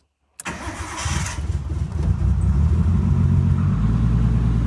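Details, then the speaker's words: Nissan R33 GTS with newly installed Link G4X plugin ECU, after a too-rich flooded no-start, battery charged and wet spark plugs dried: short crank, catches at once and settles into a steady, even idle with no misfires or knocks. "Let's see if Okay, it looks okay. That the good thing is that it's turning on."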